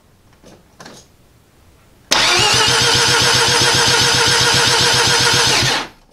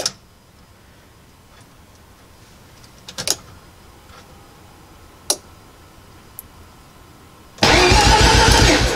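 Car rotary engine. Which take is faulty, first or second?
first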